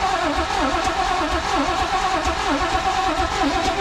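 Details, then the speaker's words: 1980s Chevy square body truck, fuel poured in: starter turns the engine slowly in a lazy uneven rhythm of about one compression pulse per second without catching; battery suspected low on cranking amps. "She don't sound like she's getting spun hard enough. Yeah. Maybe There we go. Put the battery. Maybe that thing's just low on cranking amps."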